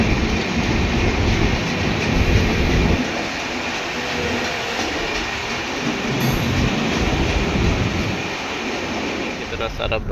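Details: Passing Indian Railways train: steady rumble with rhythmic clack, about four beats a second, as wheels cross rail joints, a normal sound.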